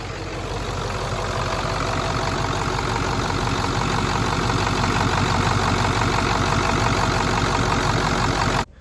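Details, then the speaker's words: 1994-97 Ford F-250 OBS 7.3 diesel idling after a fuel bowl delete and electric fuel pump conversion kit install; steady, even clatter with no misses or hunting, sounds healthy and consistent; regulator reads 60 PSI versus the expected 64-68 PSI. "But for the most part, it just sounds so much better. Sounds so much more consistent. Just sounds healthy."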